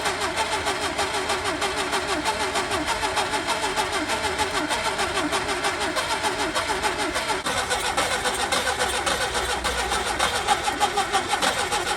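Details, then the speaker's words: Skoda Favorit Forum unstarted since 2001, cap, rotor, HT leads and plugs, petrol poured down the carb: long ragged cranking, stumbles and catches; needs full throttle to start, stays running at half throttle around 2000–3000 rpm. "so it starts you need full throttle to start it and then it'll stay on if you're on about half throttle you you know keep it about two or three thousand revs it stays on fine"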